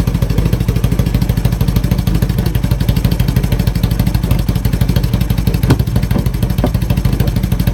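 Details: 1980 Honda CB750K four-cylinder with loud, uneven chuffing idle, irregular beats and occasional stumbles; rough idle.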